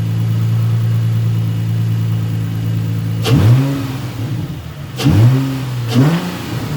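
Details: Nissan 350Z after cylinder 4 misfire code, coils swapped and spark plug replaced: smooth idle then three clean throttle blips with no stumble; misfire gone, cause was the spark plug; exhaust still smoky from burning oil.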